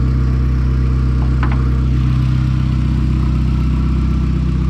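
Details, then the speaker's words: VW Golf turbo with no exhaust fitted, warm after about 10 minutes idling, temperature steady mid-gauge: steady, even idle near 900 rpm, deep regular pulse, no misses or ticks, no leaks; smooth healthy. "so i've had the car idling for about 10 or so minutes a temp is staying perfectly in the middle as you can see right there hasn't passed that at all idling right about 900 or so super super smooth"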